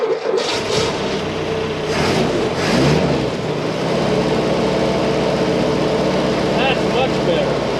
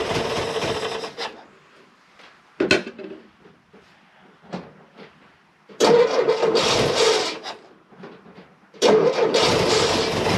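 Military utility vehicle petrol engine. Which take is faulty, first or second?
first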